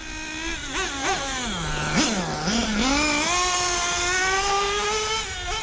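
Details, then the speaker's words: Nitro RC car engine running cold at about 45°F, no warm-up: high-pitched buzzing note that climbs and falls with throttle, firing steadily without misses, running rich with heavy smoke; new tight-mesh clutch bell fitted. "First car fired right up. It's running good."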